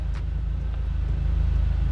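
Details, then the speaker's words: Mk1 SEAT Leon Cupra R with the engine light on: a lumpy idle with an uneven low beat and the odd stumble. Code P0302, cylinder two misfire; the ignition coil is the likely cause. "So P0302. Cylinder two, misfire detected. That is good news, because it means that the ignition coil is the most likely cause, and that is a common part to fail on these engines."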